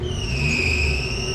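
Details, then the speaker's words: Maruti Omni being revved with the headlights on: a steady, high chirping squeal that stops when the headlights are off. Loose, slipping fan/alternator belt, common in winter. "अब जैसे head light on करते हैं और जब race देते हैं तो इसमें देखो चू चाट की आवाज आती है"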